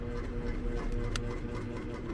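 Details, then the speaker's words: Air conditioner condenser after a condenser fan motor replacement: labored, uneven low hum as compressor and fan bog down; only 123 volts measured, one supply leg completely out of the circuit, compressor struggling on the lost leg. "everything's struggling check this voltage the heck we got 123 volts coming in okay so this leg there nothing on this leg one of the legs is completely out of out of the circuit"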